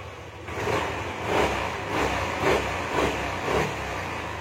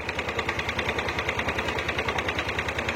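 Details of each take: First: Yamaha Aerox 155 with code 46 cleared and engine light off: a few clean quick revs, quiet steady idle, revs freely again; engine sounds smooth and healthy. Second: Yamaha Aerox 155 with error codes 12 and 46 (charging fault), battery connected: uneven crackly idle beating about three per second; charging output possibly too low or too high is altering ignition current, causing rough idle.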